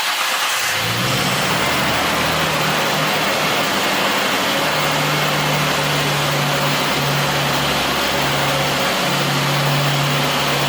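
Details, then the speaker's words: Nissan Skyline R34 six-cylinder petrol engine after replacing water-flooded spark plugs and coil packs that caused misfiring: catches right away and settles into a steady even idle, no misfires, just started and not yet warm. "so for the car is really nice uh good i haven't hear any uh misfires usually when you turn it on it will sound like a kind of like a motorcycle"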